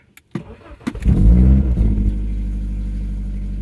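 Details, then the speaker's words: E36 318is M44B19 that had a lumpy idle when warm, after replacing the MAF, camshaft sensor and more: cold start in neutral with a quick crank, clean catch and brief rev, then a smooth, steady idle; normal. "oh my gosh that actually sounds normal but as we learned in the last video it's not till it's warm when we see the problem so let's wait"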